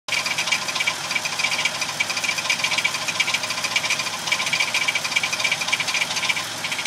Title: Tacoma rattling noise